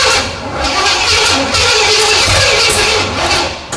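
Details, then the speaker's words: 1977 Pontiac Firebird, overhauled small block Pontiac 350 just installed after 18 years in a barn, after fixing cable connections: starter grinds it over in uneven surges with coughs, no catch; distributor suspected 180° out, later rotated. "Something's not right. Nope. It's working against itself."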